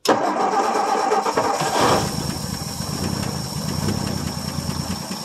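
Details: 1959 Ford F250 with a 223 (possibly 262) straight-six, cold start after sitting 3–4 years, fuel poured into the glass bowl: starter cranks briefly, catches and settles to a steady, even low idle, no knocks or misses, 40 lb oil pressure.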